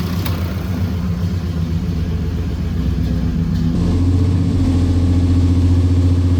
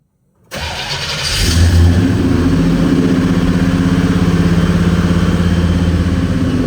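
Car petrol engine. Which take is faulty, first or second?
second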